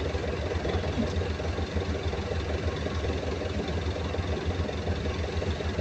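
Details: Perkins 2206-series large diesel idling with a deep, rough thumping knock running through its steady low rumble, checked on the intake side and for compression.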